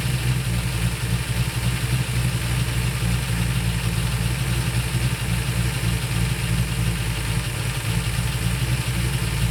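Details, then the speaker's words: Carbureted Ford V8: steady fast idle with a low rumble that won't come down even with the idle screw fully out; timed spark port shows vacuum, owner suspects the accelerator pedal holding the throttle open. "sense here I can't get the I take the screw all the way out doesn't get any slower and it's already pulling back in none of that makes sense"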